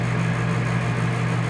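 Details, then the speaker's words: RV rooftop air conditioner giving a loud, steady low hum and drone as it vibrates with its roof mounting bolts loosened; it quiets again once the bolts are hand-tightened. Vibration from loose mounting bolts. "that's because it's out of whack so if you start to hear that first thing i would do is check to make sure these bolts are tight which i did that's why i was able to fix it up"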